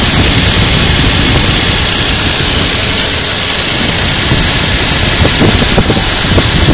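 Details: 2002 Infiniti QX4 at cold idle: intermittent loud hissing, rushing noise with a faint squeal, occurring for about 10 minutes after startup in cold weather; source unknown.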